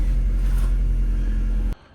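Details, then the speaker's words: Opel Astra H that shakes and won't pull away, blipped with a replacement ignition coil fitted: deep uneven rumble, pulses stumbling instead of building smoothly; misfire traced to the bad replacement coil. "Ну, простріли поки що начебто є. Ні, простріли залишилися."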